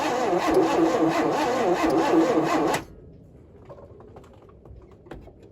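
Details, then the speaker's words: 1971 Chevy Nova being revived, cranking with a little fuel poured down the carburetor: engine spins over at a steady starter rhythm, about three and a half beats a second, without catching; no spark, so the points will be checked. "Okay, so we have no spark. So, I'm going to pull the cap off. See how the points look."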